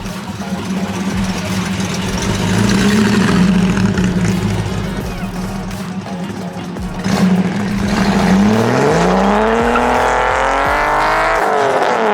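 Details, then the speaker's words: 280ZX with a 3.0L stroker engine, tuned after a new crank angle sensor: even idle rumble, then a smooth climbing pull to high revs at wide-open throttle with no stumble or misfire. "Mr. Avery's, we finally got this thing running right. I've been tuning it a little bit. It sounds really good, runs really good."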